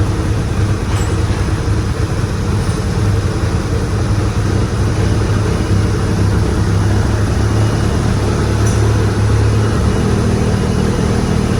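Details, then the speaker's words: Car engine after CK-to-Evo AWD conversion, revving and settling with a deep even note, no valve ticking or knocking; smooth, healthy engine. "Saya dengar dari suara mesin mesin sangat sehat ya teman-teman Eh mau digas suaranya pun halus enggak ada bunyi klep atau bantingan Club ya jadi saya sangat senang mendengar suara mesin ini"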